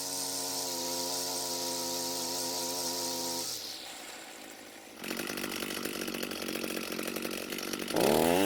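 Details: Echo SRM 230 two-stroke trimmer after repair (correct ignition coil and new carburetor fitted): steady idle, then revs up crisply and holds high speed without stumbling; engine running healthy.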